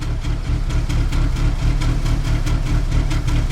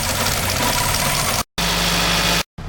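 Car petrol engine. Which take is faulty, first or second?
first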